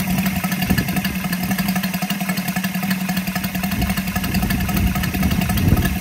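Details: Brand-new Saito FG-73 five-cylinder radial, fully upgraded with Morris Mini Motors hardware and exhaust ring, on a Biela 20x10 four-blade prop (600–5500 rpm): quick, busy patter with steady prop drone building gradually, no misfires or rattles; normal, healthy running.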